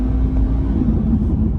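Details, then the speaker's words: 2020 Corvette C8 Stingray with 8000 miles and an idle creep temporarily disabled warning: the engine is revving with a steady low hum and no load drop as the dual-clutch fails to engage. Drive dropped out, stuck in third at 0 km/h. "Yep, Drive went away, we're not in a gear. Idle creep, temporary disabled."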